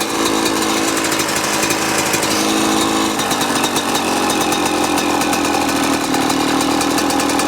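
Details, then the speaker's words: Yamaha YZ125 two-stroke, warm, after carb adjustment, air screw about 2¼ turns out: crisp burble holding a steady, even idle without hunting or bogging; normal idle. "All right, nice consistent idle. No bogging. Air screws at about two and a quarter turns out."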